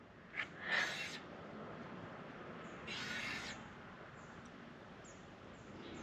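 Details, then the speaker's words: Cheap $100 bike, hand-spun wheel; a slightly bent brake disc rotor makes a light scraping swish about once per turn as it rubs the pads. "you can see that road is slightly bent and you can hear it it's scraping on the pads"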